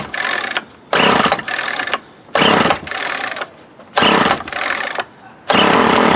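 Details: 2004 Craftsman 32cc two-stroke trimmer with new fuel lines and filter: repeated pull-start bursts about every 1.5 s, each popping briefly and dying; runs but unhappy, old carburetor suspected, not out of gas.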